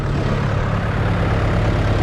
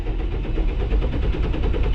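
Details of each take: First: Diesel farm tractor run low on fuel, just started by towing with a chain and popping the clutch, air purged from the fuel line: deep, steady, even chug with no misses or knocks, running normally. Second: Diesel farm tractor run low on fuel: steady rhythmic cranking that never catches or fires, fuel-starved with air in the fuel line; later started by towing with a chain and popping the clutch.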